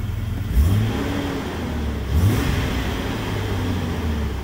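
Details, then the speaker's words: Police-model Jeep Cherokee XJ, dead for six months, starts on a cold day after crankshaft position sensor replacement and takes two clean rev blips over a steady idle; healthy, responsive revving. "we are actually sitting in a jeep that hasn't started in six months it was a doa xj and she started after we replaced the crankshaft positioning sensor"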